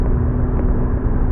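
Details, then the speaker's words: 2009 Chevrolet Malibu on a test drive after front wheel bearing replacement, hub nut torqued to 160 ft-lb; the earlier highway vibration noise is gone. Only steady low road rumble, no hum or growl; the bearing sounds healthy. "told me around 4045 god-awful noise I don't hear that has the kind of sound I like to hear in work great"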